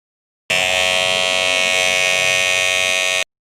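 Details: Kemei hair clipper making noise: loud harsh steady high-pitched buzz; lower blade loose, lacking pressure, so it chatters, fixed by bending it to press up harder.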